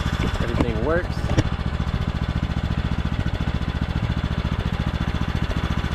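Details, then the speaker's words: Craftsman T1200 riding mower with foot-pedal drive, oil topped off, after repairs: the single cylinder thumps at an even, steady beat with no missing or knocking; a normal, smooth idle. "I think other than that it's pretty much ready to go topped off the oil but let's Crank It Up let you guys hear it runs super smooth now"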